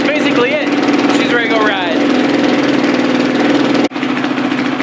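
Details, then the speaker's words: Carbureted four-stroke single-cylinder dirt bike, warming up after a cold start as oil pressure builds: a steady, brisk, even thumping idle with no knocks or misses. Normal idle. "you'll hear the idle come up high starting to come up getting this oil pressure things are starting to be a little bit smoother let it idle for a little bit or warm up basically"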